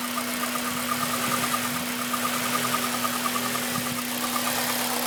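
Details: Honda Civic Type R at warm idle, rattle only after ~10 minutes warm-up, present ~7k miles: light quick ticking rattle over a smooth hum; timing chain, tensioner and guides booked for replacement, now fixed.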